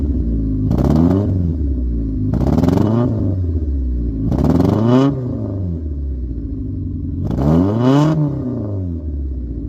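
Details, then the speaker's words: Cheap Honda Civic with the microphone at the exhaust, several throttle blips: the exhaust flutters and sputters low in the revs, then smooths out higher up. Spark plugs and distributor were already addressed; the owner suspects the fuel injectors or fuel filter. "as you heard, as I gave it a few revs, it flutters at the bottom, but then it's but then it smooths out the higher up it goes."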